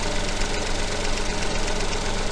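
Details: Engine with coil-on-plug ignition, at idle while the oscilloscope trigger is set up for the coil signal. Steady, low, even idle with a consistent beat and no missing or uneven pulses. Normal idle.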